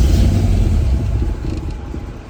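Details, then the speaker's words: Barn-find 1972 Mustang V8 with aftermarket fuel injection, not started in about four or five years: deep rumble surges after start then sags and dies within seconds; owner suspects low battery voltage or no gas; engine runs briefly then dies. "Battery voltage out. Probably no gas."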